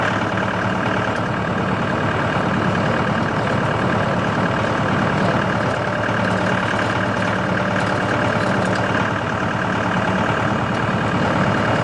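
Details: CountyLine PTO post hole digger on a tractor, 12-inch auger biting very hard clay, run gently to protect the shear bolt. Constant, even tractor note with no binding, clatter or strain. Worked flawlessly; normal operation.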